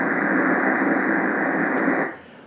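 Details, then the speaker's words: Ham radio receiver on the 80 m band: steady rushing broadband hiss (RFI/QRM) that drops away sharply when power is cut; traced to outdoor porch LED lights. "you're gonna hear RFI you're gonna hear what we'd call in the ham world QRM man made noise here tickles that's scratching noise"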